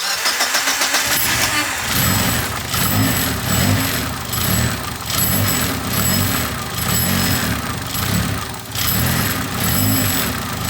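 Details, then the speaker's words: Car that cranked but wouldn't start, after fixing alternator output to battery and a blown 30 amp main fuse: about a second of cranking, then catches and settles into a steady even idle; runs fine. "Um there was multiple problems. Problems with the alternator output to the battery as well as with the um 30 amp fuse that blown, main fuse that blown. But, as you saw um seems to be running."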